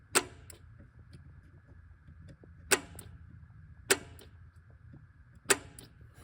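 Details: 1972 Alfa Romeo Montreal SPICA injection, starter disconnected: sharp single clicks a second or more apart over a quiet hum as power is applied, cold start solenoid clicking normally; owner hears nothing from the fuel cut solenoid.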